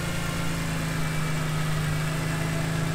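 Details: BMW E46 M3 after VANOS rebuild and valve adjustment: smooth, even idle with steady low hum and no ticking or tapping on top; engine sounds healthy.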